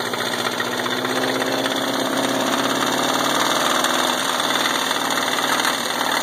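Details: Subaru EA81 engine runs well with a smooth idle, no missing and good gauge oil pressure, yet a loud, rough, uneven clatter of about four knocks a second sits over the idle; internal engine knock, cause unknown.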